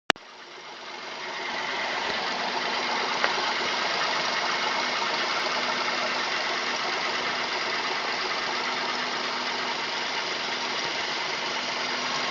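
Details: Mazda 3 petrol engine at idle: busy, hissy tone with a faint, fairly quick knock running through it; owner asks what it is, cause unconfirmed.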